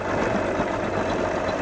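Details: 1989 Suzuki 30hp three-cylinder two-stroke outboard, after replacing the bad crankshaft seal and fuel pump: smooth, even tick-over with no popping or missed beats; running cleanly on all cylinders.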